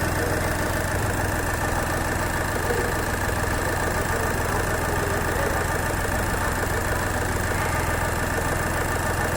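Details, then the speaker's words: Skoda Fabia diesel with VW Polo engine that had died while driving and seemed to lack compression, after repair, running on the accelerator; steady even diesel clatter with smooth unbroken beat, no misses or knocks; running normally. "Accelerator पे ये हमारे engine का sound."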